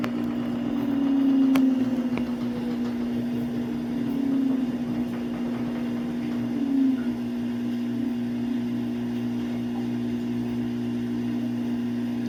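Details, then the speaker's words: Samsung AddWash washer slowing after final spin into its anti-crease phase: low, steady motor hum with gentle swells as the drum turns slowly, no grinding or knocking; normal anti-crease tumble. "Well, it's actually going to be an additional minute because after it's going to slow down, it's going to do anti-grease."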